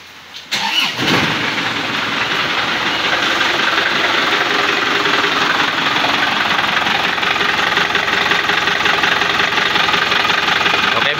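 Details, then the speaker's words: Isuzu Panther LM 2005 diesel, test start before teardown: harsh, rough idle with heavy clattering knock. Mechanic first suspected worn timing gears and badly worn engine mounts, but the engine came out and a broken crankshaft was found. "kita tes hidup dulu guys suara mesin kasar kita cek dulu ya sebelum kita Bongkar"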